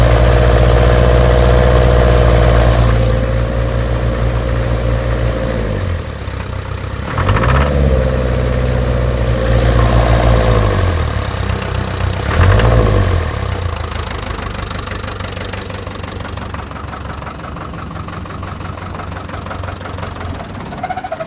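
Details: Land Rover Series 3 diesel idling with a steady deep knock about four times a second, rising and falling with brief revs; new fuel pump, filter and injector pipes already fitted, cause unknown.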